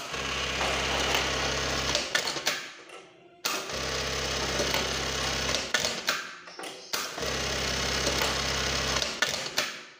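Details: Servo-motor buttonhole sewing machine after fitting the rear box and adjusting the needle stop position: short bursts of fast, even stitching hum, about three a second, each stopping cleanly; running smoothly.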